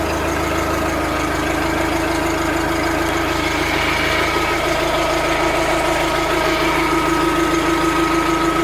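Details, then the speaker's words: Old New Holland fitted with a non-original Wisconsin engine, with a bad starter that usually needs kick starting but electric-started this time; cold start into a steady, even idle with a smooth regular beat and no knocks or misses. "Listen to that exhaust. Sounds awesome."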